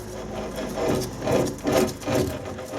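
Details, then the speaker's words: Lathe change-wheel gear train running, not in neutral: gears rumbling and clattering in a rising-and-falling rhythm about twice a second; never quiet, backlash in the gear train needed; normal gear train noise. "See, it's never going to be quiet, but you must make sure you've got backlash in the gear train."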